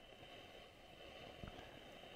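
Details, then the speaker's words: Bush AU31D early-1960s valve record player amplifier at switch-on, one tube's heater not visibly glowing at first: constant frying crackle and hiss with faint steady tone and a sharp pop; owner suspects dirty tube socket; not confirmed. "now I can see the heat is in one which I don't see the heat is in the other wow I've got some frying"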